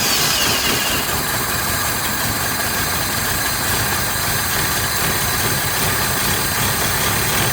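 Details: 1983 Toyota 22R, sat 20+ years, with carburetor problems: uneven, ragged idle with a loose irregular beat that won't settle; float bowl empty, fuel starvation, likely needs a fuel pump at minimum.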